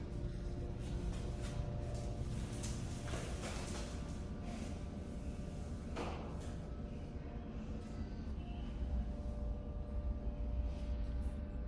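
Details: Steady low hum with a faint rising tone like an elevator going up, heard in a McDonald's bathroom in Villa Park, Illinois; no elevator there, exact source unknown, possibly a ventilation fan.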